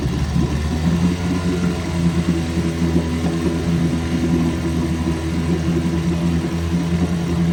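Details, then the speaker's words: 1974 Evinrude 6 hp Fisherman outboard, not run since Labor Day weekend, running in a test barrel; settles into a steady, even idle with a smooth low beat, no misses or knocks: a great runner. "Another great runner. I'm going to shut the gas off this one now. Well, this one ran pretty good."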